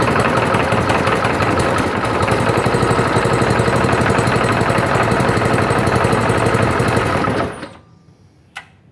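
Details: Small petrol engine driving an air compressor, recoil-started: even, rapid firing chatter at steady speed, holding smoothly for seven seconds before shutting off; healthy normal running.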